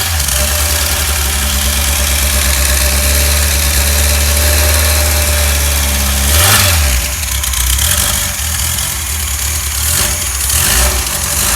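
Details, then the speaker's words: Freshly rebuilt 1600 air-cooled flat-four for a 1965 VW Beetle, timing set, choke working, a little fuel hungry: steady low idle, a throttle blip around six seconds, then brief revs; even firing, no knocks; normal idle and revving. "going to find out it's a little fuel hungry the choke is working on this thing"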